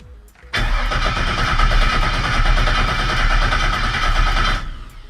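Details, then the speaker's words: Rebuilt vehicle fuel system test: steady starter cranking about four seconds that never catches; old fuel pump suspected not pumping, so replaced with a new pump. "I don't think it's pumping okay so just to be sure we're going to throw the new fuel pump in because the Old One's being kind of a bastard"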